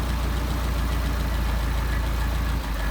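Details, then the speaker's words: Solex 44PHH carburettors, idle around 750 rpm while adjusting the idle mixture screws: steady low idle that dips and stumbles when a screw is turned too far, lean stumble. "There's the engine stumbling. Back it out. Engine stumbling again. Back it in."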